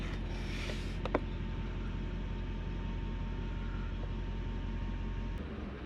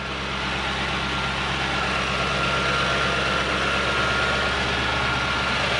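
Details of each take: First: Toyota Soarer / Lexus SC400 1UZ-FE V8 that stalls after sitting a few days, not fully warm: low, lumpy idle surging then sagging and dying; air leak after recent disassembly suspected, fault codes unchecked. Unstable idle. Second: Toyota Soarer / Lexus SC400 1UZ V8 that had been stalling at idle, after repair (bearings redone): starts with a brief flare, then a smooth, steady idle around 1000 rpm with no hunting or surging.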